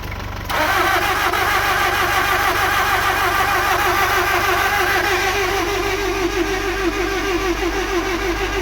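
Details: 2002 Nissan X-Trail 2.0 petrol: starter churns steadily about three beats a second for several seconds but engine never catches; fuel pump works, fuel sprays from plug holes, coils and spark fine, battery shows green; crank no start.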